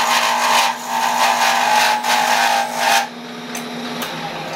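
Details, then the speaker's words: Lathe turning a wooden prototype pattern slowly, harsh rasping cut surging about twice a second then stopping as the tool lifts; tool chattering fairly badly against the wood. "okay another trick you can hear that what's called chattering right like i said i haven't done a split pattern this thing so we're gonna kind of do it even uh slow and steady all right we're not racing here okay so i'm chattering fairly bad and i don't that's not a good thing"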